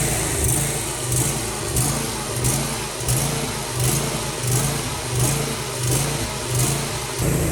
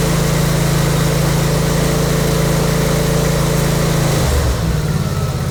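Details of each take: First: Briggs & Stratton V-twin with Nikki carburetor on a mower: engine surges up and down about 1.4 times a second, clearing mostly when choke is applied. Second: Briggs and Stratton V-twin with Nikki carburetor, after cleaning the emulsion tubes and carburetor to fix surging: loud, steady putter holding even speed without hunting, then settling lower. Normal, stable idle.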